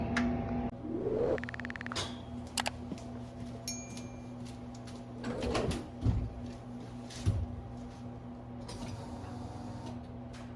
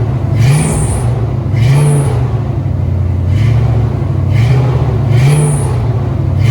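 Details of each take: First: 1970 Ford Maverick with EFI-swapped stock 5.0L V8 and new Flow Monster mufflers, no headers: starts and settles into a deep, lumpy idle with no belt squeal, after the belt was tightened with a nut underneath. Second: 1970 Ford Maverick with EFI-swapped stock 5.0 L V8 and new Flow Monster mufflers, no headers: deep rumble with short high squeals on blips from a loose, slipping accessory belt; fix planned with a stud and nut to tighten it.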